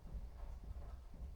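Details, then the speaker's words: 2011 Ram 3500 (Cummins), wheel rocked at 3 and 9 o'clock during front ball joint replacement: dull low clunks in a loose rhythm, something loose in steering; suspected tie rods, not confirmed. "There's something loose. So tie rod. Normally 3 to 9. When you shake it, you are shaking your tie rods, your steering components, I would say."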